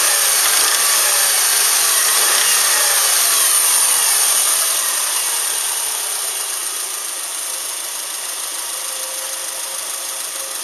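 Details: Subaru Outback with damaged EJ253 engine before rebuild: fast, even ticking knock of about three to four beats a second over the idle, pointing to internal engine damage.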